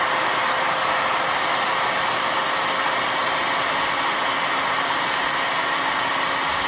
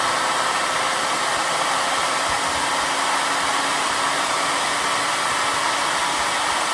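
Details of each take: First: 2-stage 4.5-inch Tesla turbine after a 1200 W run with no struggle; steady high airy rush with a faint constant tone, spinning fast and even, but bearings have too much friction resistance and will be replaced. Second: Two-stage bladeless turbo with 25 discs in the first stage, unbalanced and still on its old bearings before new ones go in: smooth, even air rush with a faint steady hum and no knocks or wobble. Quiet; normal, smooth running.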